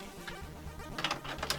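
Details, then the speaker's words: Amiga 600 floppy drive on first power-up after FURIA accelerator install: quiet, rapid ratcheting clicks and buzzy head-stepping bursts; drive works but seeks noisily and seems to need lubrication. "see where everything's at because if the drive works everything's good though the drive seems to need um some lubrication here as you see"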